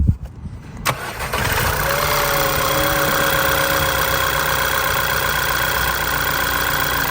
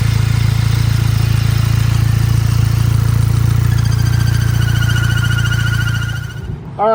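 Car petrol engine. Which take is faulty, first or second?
second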